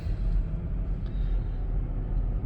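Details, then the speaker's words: 2008 Volvo XC90 accelerating after replacing the worn upper engine torque mount: only a smooth low engine and road rumble with no rattle or knock, sounding like a new Volvo; the acceleration rattle is fixed. "oh man it sounds like a new volvo now that's absolutely amazing"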